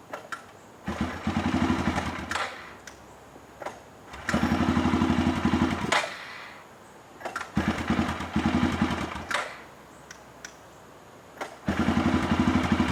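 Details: 2007 Arctic Cat 400 ATV, unused 1.5 years, carburetor cleaned: catches and runs rough a second or two, then sputters and dies repeatedly; owner reports it dies once warm.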